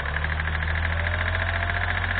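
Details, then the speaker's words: 2012 Kia Rio 1.1 CRDI diesel, 75 hp, first start after about 8 months abandoned: sharp regular knock over rough idle, worsening with acceleration; owner suspects piston slap from worn pistons. Cause not confirmed. "motorul are o butoaie puternică care se accentuează odată cu accelerarea lui presupun că este o bătaie de piston fenomenul numit piston slab"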